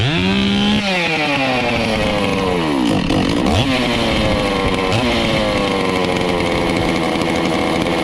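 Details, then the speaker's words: Stihl 046 chainsaw after port work and rebuild, first run after priming, cold before heat cycles; crisp, steady two-stroke buzz that revs up and settles cleanly with each throttle blip, no misfire or bogging. Normal running. "uh so Tiffany's on her way she runs good she cranks good"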